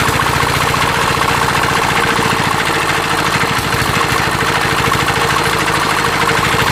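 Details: Roughly 40-year-old Mitsubishi NM85 single-cylinder diesel on a test run after rebuild: steady firing beat with a dry whirring hiss riding over it, from a worn cooling fan bearing.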